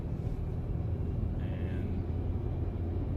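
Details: Honda Accord Euro after replacement of the grinding left rear wheel bearing, driven at 60 km/h on the same road: only smooth, even road rumble with no growl or hum; the new bearing sounds healthy.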